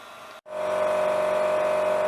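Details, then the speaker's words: Used pellet stove, temporarily installed in a pole barn shop, just lit and putting out heat: the heat-distribution blower spins up to a loud, steady whine with a hard buzzy edge. The blower sounds bad and needs looking into. "Actually, the fan that's used to blow the heat off of the pellet stove sounds like it's bad, so we're gonna have to look into that, but so far it's running, so that's a good sign."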